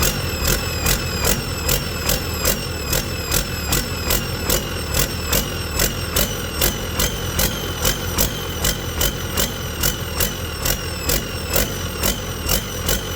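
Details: Detroit 40 series generator turbo diesel (rebranded Navistar DT466, possibly DT530), sat outside 5+ years, after bleeding injectors: heavy diesel idle pulsing about once a second as throttle hunts back and forth; governor suspected, cause unconfirmed.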